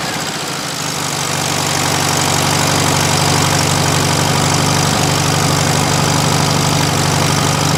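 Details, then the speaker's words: 1971 VW Super Beetle air-cooled engine; steady even idle with soft regular chug, no stumbling or hunting, after loosening the idle jet; normal idle, would not idle before; tach about 1400 rpm before timing adjustment. "Absolutely was not idle before this."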